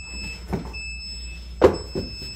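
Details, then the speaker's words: Faint, steady high-pitched sump pump alarm beeping in the background between door thumps, warning that the electrically powered pumps have lost power during repeated outages. "I got to go downstairs can y'all hear that beeping that is the stmp pumps because the power keeps going out and they are operated by electricity"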